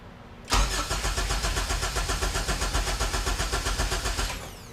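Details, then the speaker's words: HPD K24Z7 zero-mileage race engine K-swapped into a Honda EK hatch, start attempt: starter cranks at about four pulses a second for four seconds but never fires; no fuel, a harness jumper suspected. "oh one more try there's no fuel all right well not on maybe that was the jumper we needed"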